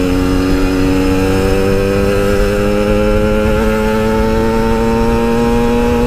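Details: Yamaha RX King two-stroke, riding after fixing high-rpm stutter, recorded through a half-face helmet with wind noise: clean, steady wail climbing with speed, no break-up at high revs; normal high-rpm running.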